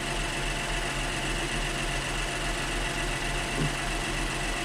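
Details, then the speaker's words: Honda Pilot after a no-start traced to low battery, running with battery negative disconnected as an alternator test: steady, even idle with low hum, no misses or dips; engine keeps running, so alternator is good. Normal idle. "Gumagana pa rin yung makina ibig sabihin goods yung ating ah ah alternator"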